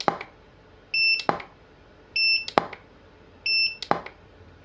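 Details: Godox SK400 studio flash after E3 error repair and calibration, fired at highest power: sharp cracks about every 1.3 seconds, each followed by a clean ready beep; power restored, strobe recycles normally.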